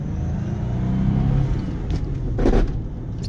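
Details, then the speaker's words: 1999 Porsche 911 Carrera C2 Cabriolet, 123,000 original miles, on a drive: grinds going into second at low rpm as the clutch is let out, a brief rough grating burst; the seller suspects the second-gear synchro is going. "you heard that what I let the clutch out something's not happy in there but it goes into second it makes more of a grinding noise"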